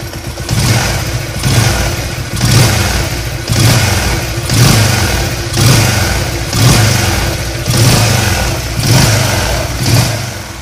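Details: Yamaha LC135 motorcycle, warm engine, after repair of a humming/droning and whistling noise when throttled, traced to the crankshaft: blipped about once a second, rising and falling cleanly with no drone or whistle.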